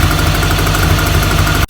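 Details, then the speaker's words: 1983 VW Rabbit GTI rebuilt engine: even, steady idle with a smooth low pulse and no knocking or stumbling, then a clean cut-off; blue smoke but little oil burning; normal. "Seeing a lot of blue, not burning a lot of oil, doesn't smell very oily. Yeah, we're in a pretty good place."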